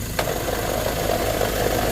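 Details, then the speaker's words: Mazda BT-50 Pro manual gearbox, diesel idling with clutch released: dry rapid rattling knock that stops when the clutch is pressed; suspected broken gearbox shaft support bearing, blamed on wrong gear oil. "ถ้าไม่ผิดพลาดประการใดอาการนี้ก็คือไอ้ลูกปืนนะฮะลูกปืนประคองเพลาราวเกียร์แตกนะฮะ"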